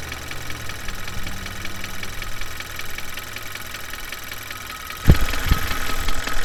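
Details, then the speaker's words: Mechanic's stethoscope on a running engine at idle: light, quick tapping pinpointed at the valve area on top of the engine, indicating valves or lifters; low oil can also cause it. "It's coming right here from around the valve area here, which is a pretty good indication that it's with the valves, the lifters in that area there."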